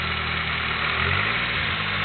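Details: Nissan SR20DET at idle only: a harsh, gritty grinding rasp over the engine note, pinpointed to the front of the cylinder head where the VTC sprocket sits; VTC sprocket grinding at idle.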